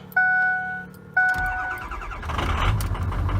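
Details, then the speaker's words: Ford F350 6.0L Powerstroke diesel after replacement with Ford reman injectors, cold start at −20°C, plugged in overnight, batteries fully charged: two dash chimes, brief crank, catches at once and runs evenly; normal cold start. "she fired right up oh that's nice"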